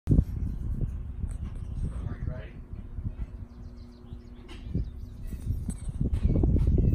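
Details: 1965 Mustang old V8 starting for the first time in 4 years: low, lumpy rumble that settles into a steady idle beat with no knocks or misses. It fires up without trouble.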